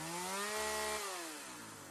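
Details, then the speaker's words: Sachs-Dolmar 100 two-stroke chainsaw, carb rebuilt and being tuned after it would not idle down (owner suspected an air leak), revs high and clean then drops smoothly without bogging; sounds healthy. "Let's uh fire her up and see if we can get her tuned"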